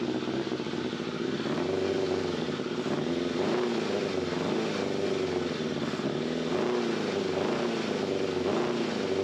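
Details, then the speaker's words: Yamaha FZR600 engine running cold with airbox off after oil change, topped up by about half a litre from bottom of sight glass: smooth even hum, no rattle; suspected timing chain rattle was low oil; normal. "that sounds normal so it looks like it had a little less hole than what it should have done"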